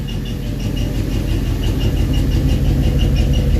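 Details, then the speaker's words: LS4 V8 at idle with a light, even chirp about three a second: the exhaust squeaking at the joint between the catalytic converter and the rear pipe, not the engine. Smoke comes from the rear. "Oh, and that noise that you're hearing, that is not the motor itself. That's actually the exhaust. The two pieces of the exhaust from the catalytic converter to the pipe going back, that's what that is. Just squeaking."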